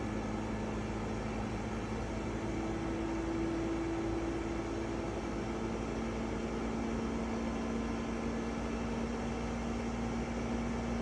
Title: EcoFlow WAVE makes an unpleasant and loud noise. Video 3